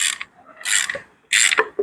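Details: Isuzu D-Max 4JK1 2nd-generation engine opened for a strong internal knock. Sharp metallic clacks and scrapes as the crank is rocked by hand, from free play at a worn connecting rod bearing.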